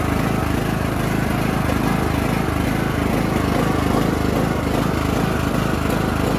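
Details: Bolens riding mower on full choke (diesel had been put in the fuel): loud, raspy roar with coarse pulsing about two beats a second; owner suspects an exhaust leak, unconfirmed.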